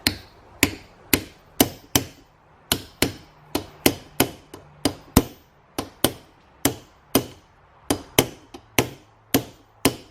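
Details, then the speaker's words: Toyota solid axle hub rebuild, hammering inner bearing race into the hub: blows about two per second, ringing at first then a solid thud once the race bottoms out on the hub step; fully seated. "don't know if you guys can hear that but it makes a different makes them more of a solid sound when it bottoms out on that on that rim there inside the hub"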